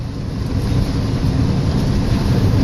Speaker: the inducer motor is an eighty-percent furnace the inducer motor wiill is way out of balance